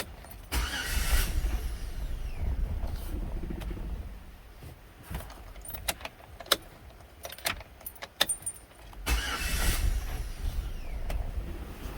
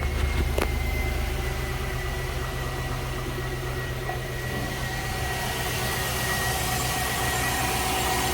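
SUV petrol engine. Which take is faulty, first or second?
first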